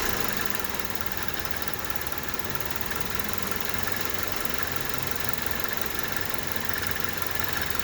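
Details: 1998 Honda Civic at idle: steady idle with a fine, fast scratchy rattle from the alternator area, worsening since last summer and worse uphill or under load; owner suspects the alternator pulley or the alternator itself.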